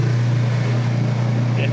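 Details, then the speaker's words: Whirlpool direct-drive top-load washer draining: steady low pump hum, then a soft, pleasant airy gurgle/slurp as the empty tub finishes draining; normal drain sound. "now see notice notice the nice pleasant air sound it gives you when it's fully drained another freak like you know gurgle noise you know with the other machines just a pleasant air sound"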